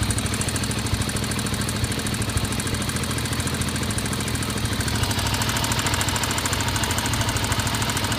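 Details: Honda XR 250 single-cylinder idling with a rough tick over the exhaust beat that comes and goes, heard from the cylinder head; unadjusted valves named as one possible cause, not confirmed.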